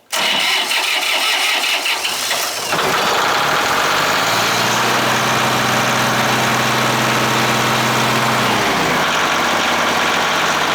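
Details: Yamaha diesel (226) cold start at 32°F after holding the glow plugs about 10 seconds: it cranks briefly, catches cleanly and settles into a steady, even idle with no knocks or misses. A normal cold start.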